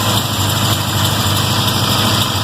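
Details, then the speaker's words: 1979 Toyota Corolla Wagon at idle after MSD ignition install, choke set high, after sitting a couple of days; steady idle with an occasional uneven low thump and faint stumble, sounds like a cylinder missing (suspected). "Somebody actually sounds like she's missing."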